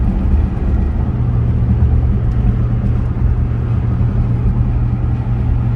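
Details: Porsche engine being diagnosed for a cylinder 3 misfire (P0303) by swapping components; steady, even low rumble with no stumbles or skipped beats, so the engine sounds like it is running smoothly.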